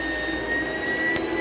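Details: Small "mini vac" vacuum with steady motor whine, strained, slightly shifting note, no speed change; filter found lightly coated and clogged with a thin layer of dirt and dust, enough to stop the vacuum from working, starving airflow.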